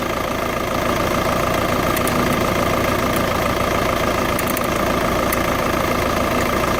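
Steady diesel idle with a light, fairly quick ticking running through it; cause not identified from the sound alone.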